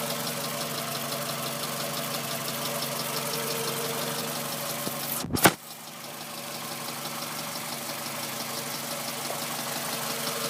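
A light, quick ticking rides over a steady idle; the cause isn't clear from the sound alone.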